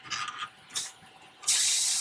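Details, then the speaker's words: Vintage Coleman 502 stove that would not light after heating the center tube: sharp, steady hiss for about a second as the valve releases pressure, showing the fuel tank is still pressurized. "we're going to close it down i'm going to release the pressure ooh with my sweaty hands because of those gloves"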